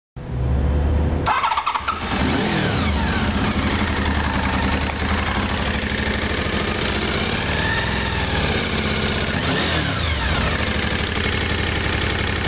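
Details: Honda VFR 750 after sitting parked five months in Dubai: starts and revs up and down but the note is uneven and rough through the revs; runs poorly, cause unclear.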